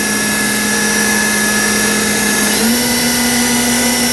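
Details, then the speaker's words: Haas VF5D/40 vertical machining center, spindle after a warm-up program, being ramped up in 10% steps in a quiet room: clean steady whine rising in pitch, no grinding or knocking; normal spindle run. "It's nice and quiet here, so you can kind of hear it running. If I ever stop talking."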